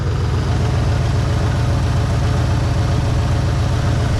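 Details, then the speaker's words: 1963 Pontiac Catalina 389 V8, unrun for 12 years and running on very old fuel: deep, even idle with a steady low rumble and no valve-train ticking; the motor sounds solid; normal idle. "You know, the motor sounds pretty solid, really."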